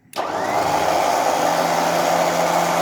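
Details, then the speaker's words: Winch on a 2017 UAZ Patriot, tested with a wireless remote after being brought back to life: the motor spins up instantly to a steady, even hum without cutting out, now working properly. "совсем другое дело работает о чудо но с лебедка и закончили"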